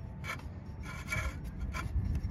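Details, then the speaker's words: 1999 VW Eurovan VR6, parked five years, alternator hand-turned after being cranked loose from seized; dry, gritty crunching rasp in bursts with each turn — seized alternator bearing. "it was seized up and i just cranked it loose but we're just gonna rotate that around a couple times hopefully get it spinning a little bit easier you can hear how crunchy it is"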